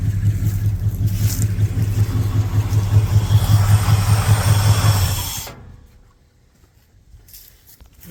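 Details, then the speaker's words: Ford big-block V8 from a rollback truck with PTO: Deep, even rumble with steady firing for about five seconds, no knocks, then shut down. Oil pressure is good, with some black smoke on one side. "Yeah, I'm pretty happy with oil pressure. Sounds good."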